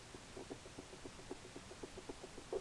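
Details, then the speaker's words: 1991 Dodge Dakota wiper linkage worked by hand: faint irregular clicks and light knocks from looseness on the passenger-side pivot, driver side solid. Owner also noticed bushing looseness at the motor shaft. Wiper linkage bushing play. "what I have discovered is a little bit of a little bit of looseness in this you can hear it if I turn way"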